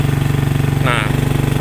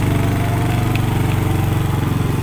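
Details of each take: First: Manual motorcycle climbing a steep hill in 4th gear: slow, heavy, evenly spaced thumps with a deep strained drone that doesn't pick up; engine lugging and can't climb, 1st gear needed. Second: Manual-gear motorcycle climbing an incline in first, the lowest gear. Firm, regular low thumping pulses hold steady as the bike pulls hard, with no knocks or slipping. Normal running under load.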